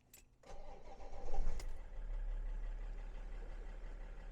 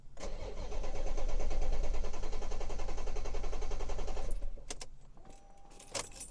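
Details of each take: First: BMW 5 Series that had a crank-no-start fault, after repair with battery maintained: quick crank, catches right away and settles into a steady, even idle; now starts perfectly. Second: Crank-no-start fault that returned; a scan shows the engine ECU is not communicating. The starter cranks steadily at about three to four beats a second for four seconds and never fires. Power supplies and grounds to the offline engine ECU need checking.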